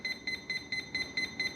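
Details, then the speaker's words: FMS P-51 1.1 m RC plane on 4S battery, after receiver bind, throttle hold off: short high-pitched ESC beeps about four a second, motor not running; cause unknown. "Okay so we're definitely not in bind mode anymore but you hear it beeping throttle hold is off throttle up Throttle Down why is it beeping I don't know"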